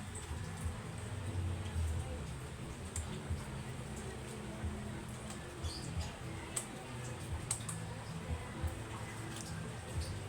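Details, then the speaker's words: Stand electric fan that won't spin: a low steady hum with no rotation when switched on; the motor housing vibrates, so the motor is thought still good and a seized shaft or bushing is suspected. "so meron siyang Ugong mga kuds hindi siya hindi lang siya malakas meron siyang Ugong hindi dapat nag meron siyang Ugong"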